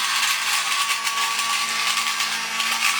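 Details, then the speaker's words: Vintage toy robot's small motor, freed by hand and due for lube on the shaft ends, now running better. A steady, even high whine with no scraping or stalling. Normal toy motor run. "Although it is running better."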